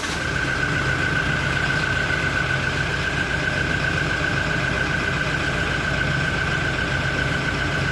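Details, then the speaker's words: Toyota Innova Reborn cold idle during warm-up: smooth, steady engine hum with no chirp or ticking yet. Normal for now; a cricket-like chirp is reported near the end of warm-up idle. "kondisinya suaranya semua masih normal kita tunggu sampai muncul bunyi yang dimaksud"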